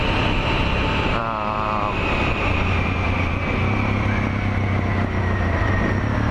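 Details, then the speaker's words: Suzuki DR650 after a new exhaust and ProCycle headpipe, ProCycle jet kit with 150 main jet, idle mixture screw 1¾ turns out and airbox mods: a steady single-cylinder thump after a throttle blip with no misses or popping; it starts fast and runs cleanly, idle slightly off. "That seems to be pretty happy. We're just a touch off the idle adjustment. I'd like to actually hook up a RPM gauge to verify, but my idle airframe, it sounds good."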